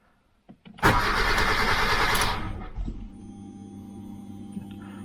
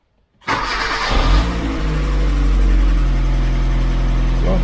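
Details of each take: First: 2007 Kia Cerato no-start: the starter churns about 1.5 s without catching, then only a faint fuel-pump hum, with the check-engine light on. The immobilizer is not accepting the key. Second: 2007 Kia Cerato no-start from a faulty immobilizer unit, after replacing the unit and starting with the new key. Quick crank catches right away and settles into a smooth, steady low idle with no misses; now starts and runs normally.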